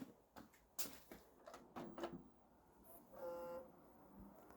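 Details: Dell Optiplex 170L after reseating the RAM and cleaning the sockets: a few clicks and a fan whirr, then one short clean beep with no repeating error pattern; normal POST, boots fast.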